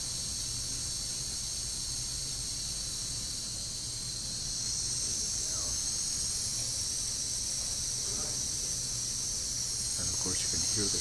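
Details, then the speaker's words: Foxboro 15A DP pneumatic transmitter during calibration, output near 15 psi: constant thin airy hiss with no pulsing from the air bleed path in the relay; normal relay bleed. "in the relay the air bleeding path and also the air is yeah"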